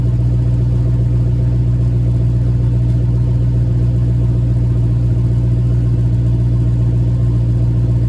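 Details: Cold idle with JBA shorty headers, stock exhaust, after exhaust leak fix: deep steady idle, even low rumble, no ticking, puffing or hiss; clean, healthy cold idle.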